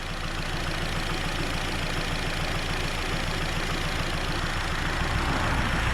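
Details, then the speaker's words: Nissan Rogue with the service engine soon light on and some smoke seen, during acceleration: an uneven, lumpy stumble about three times a second. Engine misfire suspected by the owner. "I believe this is possibly caused due to some misfiring but of course you know that's actually the acceleration portion"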